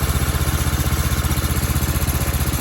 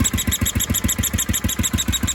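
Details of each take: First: 1976 Sears ST12 garden tractor single-cylinder engine after repair (new PCV breather and hose, carb cleaned, flange flattened, new gaskets): steady, even putter with no misses, knocks or hunting; normal idle. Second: 1976 Sears ST12 tractor single-cylinder, with a small muffler in place of the stack and a new PCV breather and hose. A brisk beat with a new high chirpy squeak each firing; changing the plug did not cure it, and the owner suspects a head gasket or the PCV.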